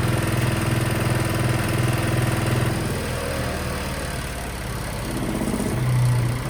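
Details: Sykes GP80 diesel water pump with Lister TR1 engine, auction buy, idling after first start: slow, even diesel thump near three and a half beats a second, no misses; loud, rattling the floor; battery 12.6V before, 14V running, charging works; normal idle.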